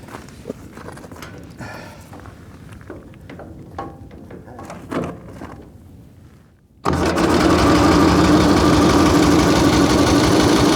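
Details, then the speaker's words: Excelsior V-twin motorcycle, first start in 3.5 years with a sticking carburetor float: catches and runs with a steady, lumpy beat of about 220 per minute, firing on one cylinder only; plugs found slightly wet. "She wants to go. Sounds like it's running on one cylinder."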